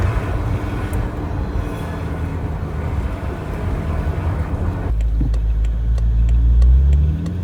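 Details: BMW F10 M5 while driving cold: low road drone, then a tone climbs steadily with speed; gearbox whine caused by cold gearbox oil being pushed through the filter.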